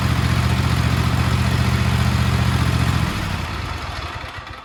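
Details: Craftsman T240 lawn tractor (MTD), Kohler KT725 22hp engine, after tune-up with new plug, filters and oil, started indoors on choke: catches almost instantly and settles into an even, quick beat around four pulses a second; normal start and idle.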